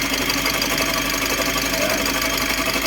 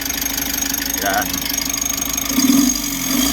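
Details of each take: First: Mitsubishi L300 Euro 4 CRDi diesel at idle: loud rough running with harsh rattling whir from worn alternator pulley and its two bearings, not the engine itself; before pulley and bearing replacement. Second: Mitsubishi L300 Euro 4 CRDi diesel after replacing the alternator bearing and pulley: the clatter settles into a steady, even idle without the earlier loud, harsh humming growl. Normal idle.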